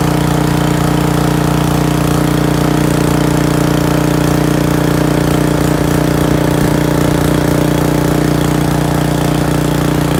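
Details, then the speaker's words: Briggs & Stratton 6.5 hp pressure washer engine with air bled from the pump: steady, even single-cylinder putter at constant speed with no misses, knocks or surging. The engine runs normally, but pump pressure is unchanged whether it runs or not. "all right well it looks like the engine runs good but pump puts out the same pressure whether it's running or not"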